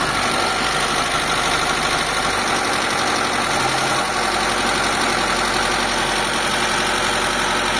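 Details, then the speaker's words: Mitsubishi Lancer "pizza" 4G13 carbureted petrol engine, noisy and hard to start: it idles fast and loud with busy top-end clatter because the carburetor is sticking and holding the idle up. "Stock up mga bossing yung carb. >> So nagi-stock yung carb niya. Kain niyang bumaba."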